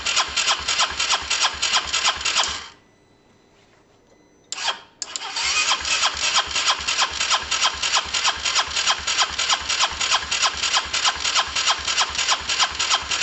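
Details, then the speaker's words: Honda SH125 after a new relay was fitted: fast, even starter whirring at about three beats a second, a brief stop, then more cranking; never catches. No-start; owner unsure whether it is getting fuel and plans to try brake cleaner. "uh um let's see if i don't know i mean it should start every time shouldn't it"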